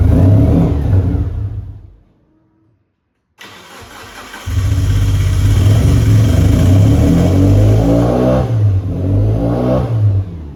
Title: 1996 Mitsubishi Lancer Evolution IV - no start cuts out rough running